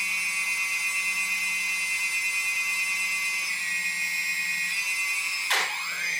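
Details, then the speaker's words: DJI Phantom Vision/Phantom 2 after T-Motor Antigravity motor conversion, on ground: high steady motor whine, then sudden thump and pitch dip as motors briefly cut out when throttle is increased from idle; cause not confirmed. "okay so you guys can clearly hear the the the thump so what happens is that the uh the motors will actually cut off"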